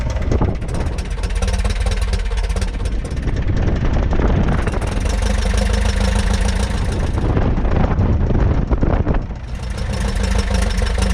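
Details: 1941 Piper J5 with a Continental C85 engine, run after about 30 years dormant (last ran 1995): deep, even drone under heavy prop wash, rising and easing with throttle, with no misses or knocks. Healthy running.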